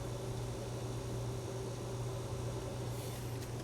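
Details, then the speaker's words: Allavino VSWR177-1BWLN 177-bottle wine fridge that had no cooling, during R134a charging via piercing valve: the compressor, previously running in a vacuum, grows louder as it pumps gas, a steady low hum with a faint airy hiss and no rattles; normal operation. "I also noticed the compressor is starting to make a little bit more noise, which is probably a good sign. Before it was essentially running in a vacuum and just kind of doing a lot of nothing. Now it's actually pumping some gas."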